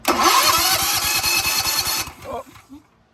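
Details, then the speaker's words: Generac GP 7000 generator, cold and not started in a while, newly fitted electric starter: fast steady starter whirr for about two seconds with no firing, because the engine switch was left off rather than on run. "Let's give it a shot. It's cold. I ain't started it in a while."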